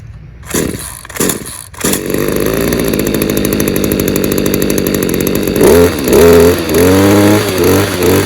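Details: Stihl KM94RC combi two-stroke after an engine refurb, cold start on choke and primer: a few pulls, then it catches into a steady, even buzz with light throttle blips; runs well, main problem thought to be in the carb.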